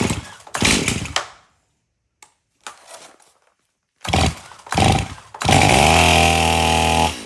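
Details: Stihl MS271 chainsaw, hard to start, suspected bad fuel; tank clean, refilled with fresh mixed fuel: choppy starting bursts, then catches and holds steady even run; still hard to start at first but now idles, revs, runs pretty good.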